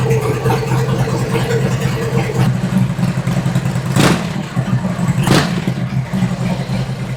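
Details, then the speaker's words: 2003 Harley-Davidson Twin Cam standard after a cam chest rebuild with a new oil pump and cam plate, reassembled with a new gasket: lumpy twin idle with clean throttle blips and no clatter. Normal revving. "It already sounds better."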